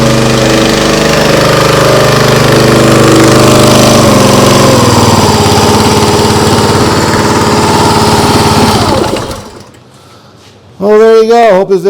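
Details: Briggs & Stratton CR950 208cc engine on a Diamond 25-ton log splitter, after carburetor cleaning for a no-start following a couple of years unused: runs fast and even with a steady putter, no hunting or surging, then shuts off; healthy.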